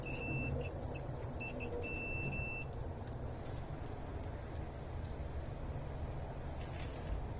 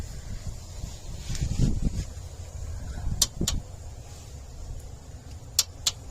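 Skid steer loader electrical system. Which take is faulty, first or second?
second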